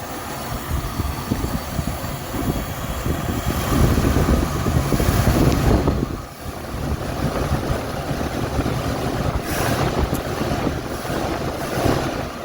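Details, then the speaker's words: 1978 Mercury Marquis Brougham, 400 V8, after new fuel pump and filter, revved on a trailer: deep, lumpy idle with uneven stumbling beat and dropouts under throttle blip; running rough, missing badly, some spitting. "sure is running rough now it's missing pretty bad"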